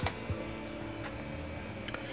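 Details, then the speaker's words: B: floppy drive in a 486 DOS PC (AMD Am486DX2-66), where the A: drive gives "General failure reading drive A": soft, irregular ticks over a low hum as the head steps across the disk; this drive reads the disk fine. "And this one typically seems... to read things... Yeah, it read that just fine."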